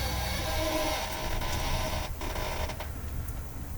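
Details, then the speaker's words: 1964 Cadillac Coupe de Ville while driving and steering: short squeaky creaks over low engine rumble, occurring only when the car is warm, not when cold; cause unknown. "and there's a lot of creaking obviously this is also interesting the car only creaks when it's warm otherwise when it's cold and you steer it's all right but as soon as the car is warm it starts creaking"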